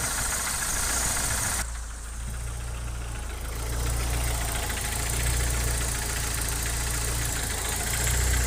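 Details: Opel C20NE engine at steady idle, hydraulic lifters newly replaced with Kolbenschmidt units: an uneven knocking tapping, a few knocks per second over a low hum; engine knock at idle, source unidentified.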